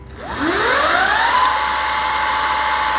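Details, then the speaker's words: E-bike motor on a newly installed Flipsky FT85GS controller, 3-speed switch position 2 (mid speed): whine climbs quickly, then holds a smooth, steady, throttled-down pitch, no grinding or clicking; normal. "can hear that it's actually throttled down."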